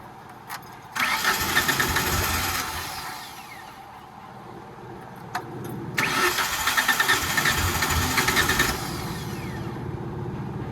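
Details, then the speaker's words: Tennant 355 ride-on floor sweeper: two bursts of steady cranking that never catch, fuel pump heard running; suspected bad gas or dirt in the carburetor causing fuel starvation. "I wonder if that gas is just that bad, dude. Is the fuel pump still running? I can hear it, yeah. Yeah, we got shit in the carburetor is what it is."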